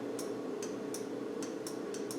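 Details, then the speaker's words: Land Rover Defender 200 Tdi heated rear window circuit with the voltage sensitive switch bypassed to ground by a jumper: crisp relay clicks over a faint hum as the lights come on; relay works, voltage sensitive switch suspected faulty. "see the lights coming on can you hear the relay clicking so the voltage sensitive switch is either stuffed or it's conditions out right for it"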